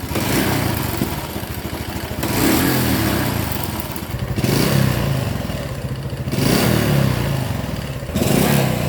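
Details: Honda Super Cub 110: single-cylinder revs rise and fall every couple of seconds with a light clattery rattle; abnormal engine noise, suspected piston slap or cam chain, unconfirmed.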